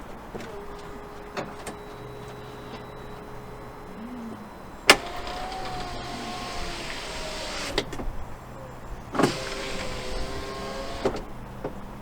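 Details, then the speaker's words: Alfa Romeo 159, door window after fitting a cheap second-hand replacement window motor: steady low motor hum while the glass travels, firm thunk at each stop; window motor runs smoothly. "Then plug it all in, bolt it all in, and we'll test this. This could be the first time this window works in my ownership of the vehicle."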